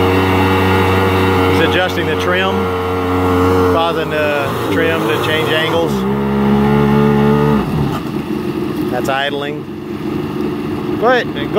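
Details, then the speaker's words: 1999 Yamaha SUV 1200 jet ski with swapped-in SBT engine, after carburetor internal repair; two-stroke buzz climbs cleanly with throttle blips then settles to steady even idle, no misfire, running smooth and healthy. "Matthew running very well sounds smooth that's him just leaning on the throttle kind of"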